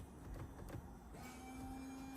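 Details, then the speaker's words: 2017 Audi A3 windscreen washer pump after replacement, bonnet closed, ignition on: thin, steady electric hum, front and rear running properly; rear jet possibly blocked. "Okay, I can hear it working. And the back one as well. You can hear it going."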